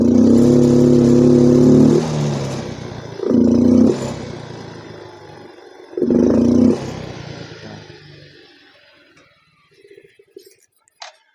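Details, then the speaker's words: Yamaha Mio M3 125 scooter that has been in and out of the shop, with injector cleaned and fuel pump and TPS normal: three throttle blips rising slowly and falling off lazily, reaching only mid rpm even at full throttle. Sluggish throttle response. "Jadi, begitulah kedengarannya. Rasanya lambat. Lamban."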